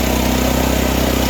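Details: Portable generator with dead battery, choke-started, feeding house through new interlock and inlet box: constant even drone at fixed speed, no surging, misfire or rattle; working great.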